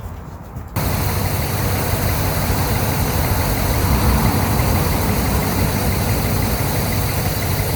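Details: 1998 GMC Sierra started on jumpers after fuel priming: quiet start, then the engine catches and runs steady and even with no misfire; sounds healthy.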